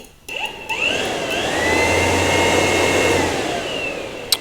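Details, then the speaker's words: Yamaha R1 2009–2014 radiator fan, ignition on, triggered by grounding the added black wire of a manual switch mod: smooth spin-up, even airflow rush, no ticking or scraping; running normally. "On entend bien la soufflerie, tout fonctionne, on enlève."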